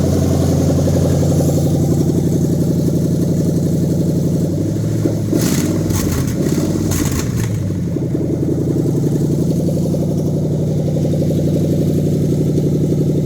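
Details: Lexus 3UZ-FE V8 on new standalone manual-configuration harness for a 2013 Scion FR-S swap, test run after adding fuel: steady even idle with a brief blip midway settling back to a smooth regular rumble; healthy.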